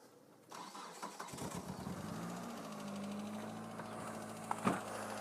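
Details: 2000 Mitsubishi Lancer 1.8 4G93 GDI, 150,000+ km, right-hand drive, before additive treatment: cranks, catches, then light fast ticking over uneven cold idle from noisy hydraulic lifters, knocking both cold and warm.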